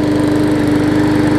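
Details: New 2013 Murray push mower after removing a hard rubber piece from the intake valve that had caused lost compression: steady even buzz with regular firing and no misses; running great.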